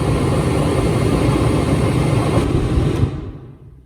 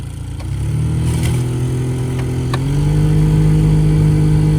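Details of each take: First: Jeep Cherokee XJ four-door used as a noise reference: steady low air whoosh with even rumble, no rattles or squeals, then winding down; blower sounds normal. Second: Two-door Jeep Cherokee XJ after a new blower motor resistor: a steady fan hum that steps up in pitch as it now runs at more than one speed, with light intermittent ticking from leaves and debris left in the blower case.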